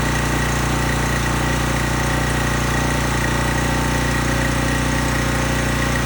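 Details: Small engine on a high-pressure washer pump with water hooked up, running after the cleaned carburetor was reinstalled. Steady, even buzz at constant speed with no stumbling or hunting: runs properly.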